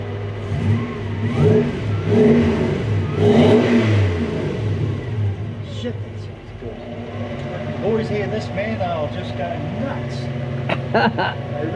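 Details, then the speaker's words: Mk1 Ford Cortina with 1UZ-FE 4.0L Toyota V8 swap, W58 gearbox, deep burble swelling smoothly through throttle blips and settling to steady idle, no misses or knocks; healthy, pleasing exhaust tone. "i'm really pleased with the tone you know it's not over over the top either it's just nice that's what we want"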